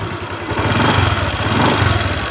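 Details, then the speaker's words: Honda Vario 150 FI (2021 onward): engine note rising and falling on throttle with a coarse, small rattly edge from the central engine as revs climb; described as typical of 2021-on models. Cause unclear. "teman-teman bisa mendengarkan suara mesin pada motor Vario ini ya teman-teman jadi suaranya sedikit agak kasar sepertinya ngerenyek-ngek seperti itu ya nger nger nger gitu pada saat kita tarik gas"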